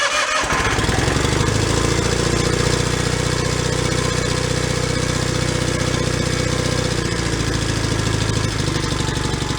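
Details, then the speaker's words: John Deere 318 garden tractor running off a separate fuel tank to bypass bad fuel, no choke, throttle down: starts instantly and settles into a steady, even single-cylinder idle with no misses; starts much easier. "all that started a lot easier"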